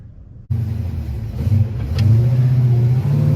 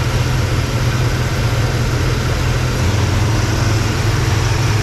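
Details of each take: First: 1955 Chevy Bel Air with an Edelbrock AFB-style carburetor, before repair: the engine revs, then the note sags and stutters briefly off the line before picking up; bad flat spot; accelerator pump fault causing stumble. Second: 1955 Chevy Bel Air hardtop V8 after loose power steering belt fixed, fan blade replaced and Edelbrock carb repaired: deep, even burble at steady idle with no squeal, miss or knock; belt squeak and fan noise gone.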